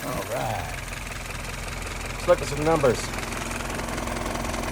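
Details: Restored, tested and adjusted YF mounted on an F-head engine, idling steadily and evenly at about 680 rpm (suggested to raise to 700), with no misses or knocks; normal idle.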